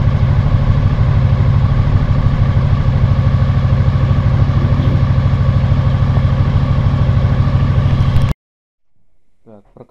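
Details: 2000 Honda VFR800, injected and restricted, first start after 6 months on old fuel. Uneven idle thumping about three beats a second with a missing beat. One cylinder is dead with a cold exhaust pipe.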